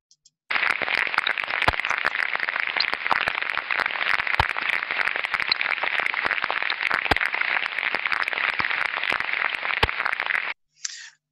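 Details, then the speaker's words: Slow-speed bearing under ultrasound inspection: overall ultrasound level still quite low, but the audible quality is clearly different, with a crackling hiss broken by sharp, irregular impacts revealing a developing bearing defect. "you can hear now impacts and sounds very clear impact it sounds the level of sound being produced is still quite low but the audible quality is very clearly different"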